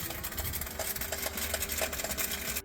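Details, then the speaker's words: 2017 GMC Yukon XL: harsh, raspy grinding from the rear with rough rhythmic catches about three times a second, sounding like something stripping; cause suspected, not confirmed. "My 2017 Yukon XL is making a weird, funny noise in the back. Sounds like something stripping. Customer, something is definitely stripping."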